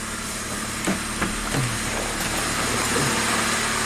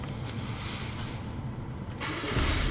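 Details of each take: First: 1998 Saturn with a crank no-start, fired up only with the throttle floored: it holds a slightly uneven idle with a few stray clunks and a little smoke at the rear; cause still unknown. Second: 1998 Saturn after a head gasket replacement, previously crank-no-start. The engine starts and settles to an even idle, then revs cleanly. Fuel trims are near normal, there are no codes, and the EGR is fine.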